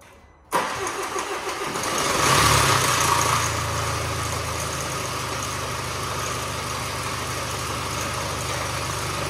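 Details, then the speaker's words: Range Rover Evoque Ingenium diesel, rebuilt after engine failure with new timing chain tensioner, first start with no oil around the chain: fires up, flares, settles with light metallic timing chain rattle. "it's going to Rattle a little bit when you first start it up there's no oil in the field oh there's none around the Chang so give it a go mate"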